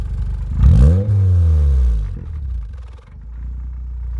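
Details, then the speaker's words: Turbo Suzuki Swift ZC31S (TM square turbo), revved repeatedly: a quick blip swells into a deep roar that falls away unevenly with a rough, chuffing note while the exhaust visibly shakes. Abnormal exhaust noise, cause unknown. "See that shake in the exhaust? And that sound it's making? Go again, one more time. Very unusual."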